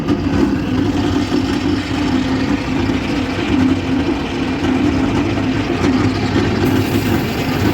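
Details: Mid-1960s Detroit 4-71 two-stroke diesel in a Galion grader, cold start at +9°C after 5 months sitting, booster cables and ether spritz; it catches and runs with a steady, even drone, no misfire or knock.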